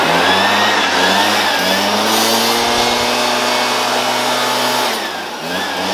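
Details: Shindaiwa EB802RT commercial backpack blower after new carb gasket (old lacked crankcase pulse holes), previously died on acceleration: high, buzzing two-stroke with rushing fan climbs and holds without dying, then dips briefly; healthy.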